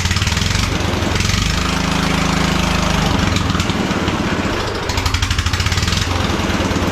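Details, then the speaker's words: 1976 Cub Cadet International Harvester 1250 garden tractor single-cylinder at startup: harsh rapid popping bark, far louder than muffled, rising and falling with throttle, sounding like headers; exhaust leak, muffler suspected loose or torn off. "sounds like it's got headers on it like a race car though too so something's going on with this exhaust"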